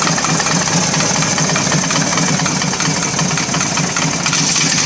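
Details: S&S 80 Evo V-twin idling; steady fast ticking knock over the lumpy exhaust beat; cause unknown.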